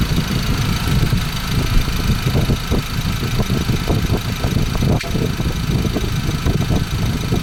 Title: 2014 Ford Ranger 2.2L engine rattling noise. What do you think it is?